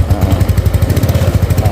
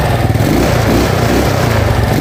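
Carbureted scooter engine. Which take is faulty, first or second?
first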